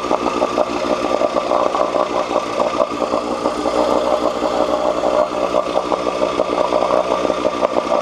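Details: 1986 Johnson 4 hp Seahorse two-stroke outboard after cleaning water passages for overheating: steady fast idle, even crackle, no misses or knocks; strong water flow, head temperature down from almost 190 to about 80–120.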